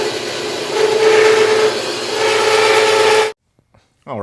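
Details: Harbor Freight bandsaw with upgraded Leeson 1 hp 1725 rpm motor, belt on the third pulley step, one-inch speed test cut: steady hum and rasping cut holding an even tone throughout, then stopping; runs normally.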